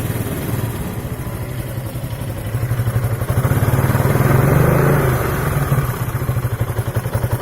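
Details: 2003 Piaggio Beverly 500ie: uneven idle with irregular popcorn pops, misfire, hunting revs and stalling; throttle body, cylinder head, fuel pump, coolant temp sensor, plug, coil and relays changed without effect; fixed by replacing the ECU.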